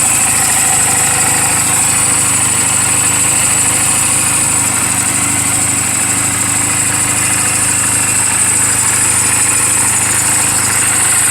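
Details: 2007 Honda Rebel 250 idling after the owner's own valve clearance adjustment, offered as a reference for others checking theirs; steady, even beat with light valve-train chatter, settled idle. Normal idle.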